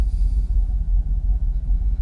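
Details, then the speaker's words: Jaguar XKR (X100) V8 after hard reset, charged battery and cleaned connectors, warm idle around 650–700 rpm: deep smooth steady rumble, no hunting or warnings, no longer fluctuating or stalling in gear: normal idle. "So we're still idling. What's that? 650? Maybe 700? No warnings. Staying steady as a rock. Not fluctuating like it was before."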